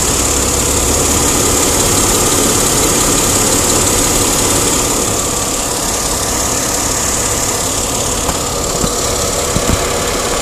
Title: Crossfire Engine Ticking Sound